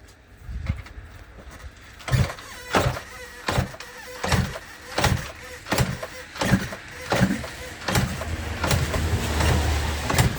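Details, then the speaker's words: 1980 Yamaha RD350LC two-stroke barn find, stored running 29 years ago, with fresh fuel, ignition on and choke on: turned over in repeated bursts about once a second with no firing, won't start; spark is to be checked next. "I mean obviously we're not expecting it to run we just thought we'd give it a go come on give it some beans I think it's dead"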